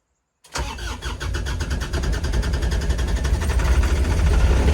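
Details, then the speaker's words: Kubota RTV900 diesel cold start at -8°F on gelled leftover summer fuel, with glow plug on and battery boost: long steady cranking of about three beats a second with uneven firing that never catches; extended cranking may have pushed gelled fuel into the lines. "still doesn't sound good i think i probably shouldn't have cranked it over as much while it was starting to gel because i think i actually probably forced some of the gelled stuff into the lines which is not good on my part"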